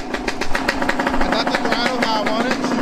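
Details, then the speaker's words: Yamaha YZ125 two-stroke after carb tuning, throttle response set and idle turned up slightly: crisp, steady idle with an even buzzing pulse holding speed without hunting; sounds good and healthy. "good she sounds good right now y'all i ain't gonna catch she sounds good"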